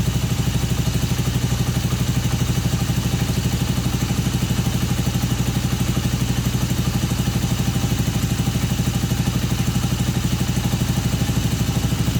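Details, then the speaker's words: Honda CB250N twin during carb mixture and tick-over adjustment, flat off idle: steady putter at a fast idle that never settles, revs hang high and drop slowly; high idle. "adjusting it to the point whereby that sounded right but then when I tried to rev it the revs just climbed and hung high and then dropped really really really slowly"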